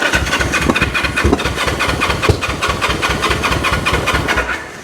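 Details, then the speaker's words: 1974 Honda CL450 motorcycle, unridden since 1999 (25 years), fuel added and battery on charger: strong steady cranking with a few brief catches that never pick up, so it won't keep running; air boxes and carbs checked next. "so let's hit the button hey oh that's getting there oh that's wanting to come on turn that off"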